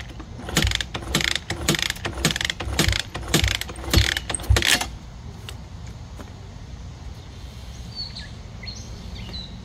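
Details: 1985 Honda XR80R, not run for a long time, with 60 psi compression and good spark, gives uneven rhythmic chuffs from repeated kicks about twice a second, then silence; it turns over but never fires.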